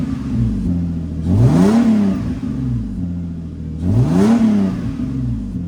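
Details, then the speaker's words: Lexus on stock headers, few revs after cold start, before a Flashshark header install; raspy, gritty exhaust note swelling through two quick revs and back to idle from a hole in the bottom of the exhaust; exhaust leak. "I'm going to give you guys a little clip of the exhaust and what it sounds like with stock headers with the gritty exhaust with the hole in the bottom"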